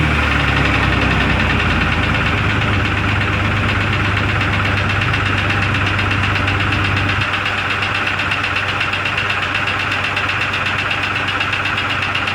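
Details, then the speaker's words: 2002 Jeep Grand Cherokee Laredo, started in the cold to warm up: idle carries a steady light ping, about three per second. It runs better since the PCV valve, its hose and the brake check valve were replaced; the source is not yet found. "you'll be able to hear the ping ping ping sound but it is running better after uh after replacing the pvc valve and the that hose going over"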